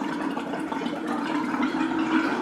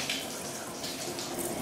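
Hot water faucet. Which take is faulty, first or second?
first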